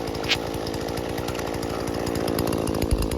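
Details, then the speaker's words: Husqvarna 120 Mark II homeowner chainsaw after carburetor tuning, idle screw turned out to the point where the chain stops: an even, steady two-stroke putter at low revs with no surging or stalling; normal idle. "once you get her turned out to the point where the uh chain stops then that should be good for the idle"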